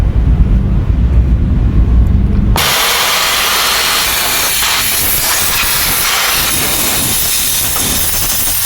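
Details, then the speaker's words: Volvo FMX 440 truck with weak exhaust brake, engine idling: sudden loud steady hiss cuts in and continues, compressed air escaping on the left side of the engine from a broken, crumbled hose coupling. "Ini bocornya di bagian sebelah kiri engine ya, terdengar dari situ."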